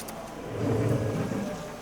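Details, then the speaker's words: Ford 6.7 Powerstroke (2011–16 F250/F350) with a new Fleece PowerFlow frame-mounted lift pump, key on after wiring. A brief low hum swells and fades as the pump primes, with air moving; normal priming. "Okay, you guys can totally hear that. Oh yeah. Oh yeah. Oh yeah. I'm hearing air moving now."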